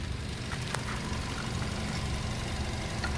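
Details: Nissan Almera that cranked but would not start, with weak fuel pressure and the fuel pump being removed; now running with a quiet, even low hum and steady rhythm, no misses or knocks; normal idle.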